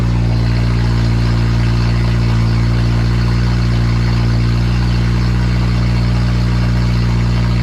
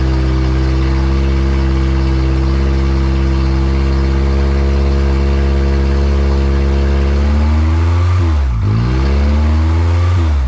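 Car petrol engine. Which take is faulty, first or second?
second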